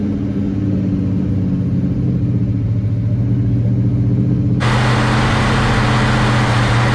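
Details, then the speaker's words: Freshly built Mopar big block V8 in a 1967 Dodge Coronet 500 convertible, after fixing valves not closing fully: deep even rumble at a steady fast idle without misses or exhaust ticks, a loud hiss joining halfway; engine sounds healthy. "sounds good though runs nice"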